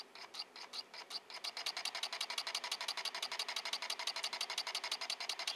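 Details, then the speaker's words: Homemade Joseph Newman-style pulse motor built from microwave coils, running on dying batteries with a capacitor; it slows down a little after running a while, then speeds back up. Crisp ticking pulses start slow and uneven, then build to about three a second; slowing on weak batteries. "what I noticed when it's running after runs for a while it'll slow down a little bit then it'll speed right back up"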